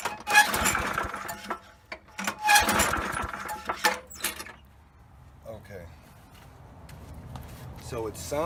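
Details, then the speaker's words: Poulan Pro mower with 190cc Briggs & Stratton engine, sat unused: primer works well, but recoil pulls spin the engine with a dry whir, never firing, no sputter or smoke; spark plug checked next. "like it's priming really good but it's not even attempting to fire no sputter no smoke coming out"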